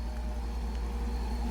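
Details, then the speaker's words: Ram 5.7 Hemi (3rd gen) at idle after header install: deep, even V8 rumble with no ticking or knocking; the earlier knock, blamed by others on cam and lifters, was exhaust leaks. "Living proof. Dead nuts fucking silent. 0 knock."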